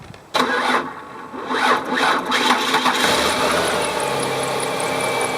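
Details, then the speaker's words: Car with suspected bad battery, started with a battery jumper: several sluggish lagging cranking bursts over about two seconds before it catches and settles to idle; slow cranking from weak battery, cause suspected, not yet confirmed. "Now, because the car started up when I used the battery jumper, you could hear it actually still lagged, but then finally there was enough juice in that jumper to get it started."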